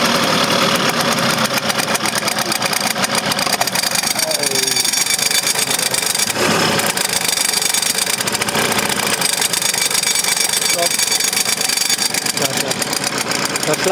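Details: Vespa PK125 Plurimatic two-stroke at idle: a busy, buzzy idle with a constant scraping hiss over it. Something is rubbing; the exact part is unclear.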